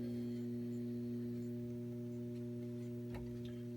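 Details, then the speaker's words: Data East/Williams System 11 pinball machine: constant low hum through the speakers that does not change. Supply hum, fixed with an auxiliary power supply for the sound board. "the other one if some people have is just a constant hum like a constant buzz if I don't know if it's going to pick it up but if you could hear that that just constant buzz that's one thing"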